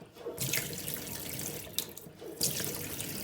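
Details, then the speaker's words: Tap running after a faulty pressure reducing valve clogged with grit and debris was replaced along with the isolation valve; steady hiss of water into the sink with no banging or knocking from water hammer. "I opened it up I don't hear the noise no banging noise"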